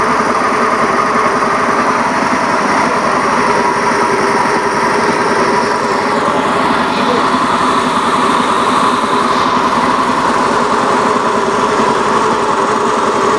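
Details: Honda Beat FI eSP eco scooter holding steady revs: coarse, raspy buzz over high-pitched drone; engine runs rough, cause unknown, asks for help diagnosing.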